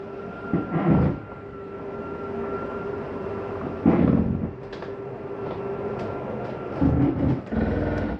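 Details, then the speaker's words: 2021 Shadow Cruiser 283RKS travel trailer slide-out extending from the control panel: steady motor whine, then a short surge of strain as it hits its stop; that little noise means it is fully out, working normally. "Did you hear that little noise? That's the slide mechanism saying I'm out all the way. Don't need to open me any further."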